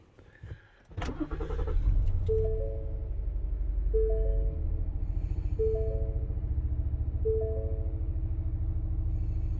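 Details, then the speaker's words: 2016 Ford Explorer 3.5L EcoBoost V6 right after a spark plug change, codes cleared: catches into an uneven, lumpy idle with a stumbling beat under a door chime; misfire from ignition coil number 2 left unplugged. "It almost sounds like a mist going on. I hear a dum. Well, it was saying ignition coil number 2. So I put my hand back here, and sure enough, my dumbass forgot to plug the damn thing in."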